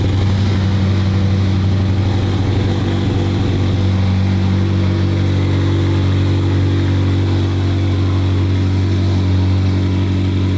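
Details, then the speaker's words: McLaren 720 GTR, about 1300 hp, after clearing codes: loud deep drone with uneven lumpy pulse around four per second after a hard start needing starter held long with brake and throttle; cause not found, first gear then works. "Really weird. Didn't want to start, held the starter button down for a long time, and I actually had to hold the brake with my left foot and give it a little throttle"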